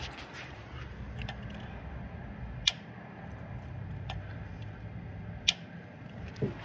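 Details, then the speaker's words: 2008 Dodge Durango 5.7 HEMI with a cylinder 4 misfire: a cylinder deactivation solenoid is toggled, giving a crisp single click every few seconds over a quiet background. That is the normal action; the cylinder 4 solenoid was faulty. "you hear that, that's what number 4 is supposed to do. And if number 4 is not doing that, then that's a problem."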